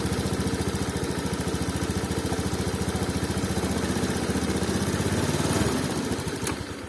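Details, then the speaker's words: 2019 Honda Scoopy injection scooter, low-rpm stumble ("brebet") as the throttle opens, after ECM reset, TP setting and a new spark plug. Steady idle thumps waver and stumble on pickup; TPS sensor suspected. "tidak langsung mau naik ada sedikit hambatan brebet ketika putaran gasnya dibuka maka kendala banyak ada di sensor TPS nya ya"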